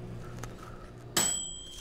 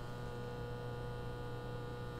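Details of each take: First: Cheap camper microwave run on high for two minutes from a LiFePO4 battery through a cheap 1500 W inverter: low running hum, then one bright ding as the dial timer ends; working normally, water heated from 75 to about 129. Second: Cheapest microwave powered by a modified sine wave inverter from a cheap LiFePO4 battery: steady low hum with a buzzy edge, louder than normal. This is typical of modified rather than pure sine power.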